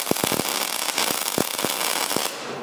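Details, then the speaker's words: MIG welder set with wire speed and voltage in the middle, around 50–60: steady, strong bacon-frying sizzle with no popping, showing correct settings and a smooth, well-penetrated weld. "did you hear that consistent it it was a very strong sizzling sound but it was it was a consistent Sizzle there wasn't any popping"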